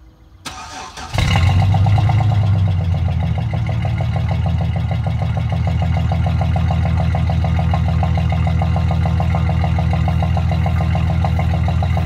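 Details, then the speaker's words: 2006 Chevy Silverado 1500 long bed, mic at tailpipe, stock welded muffler before replacement: cranks, catches cleanly, settles into even steady low idle burble, no rattles or leaks; healthy. "so let me start it up so you can listen to the truck I'll put you back here by the tailpipe so you can get a good sound"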